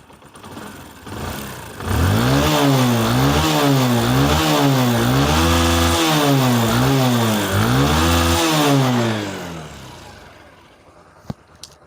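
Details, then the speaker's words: Single-cylinder motorcycle after repair of a tractor-like knocking engine (suspected tappet or piston slap), with engine work, new clutch plates and new chain sprocket set: gentle blips, silent, smooth and even with no knocking, heard through the mic. "का sound guys बिल्कुल silent है and smooth है।"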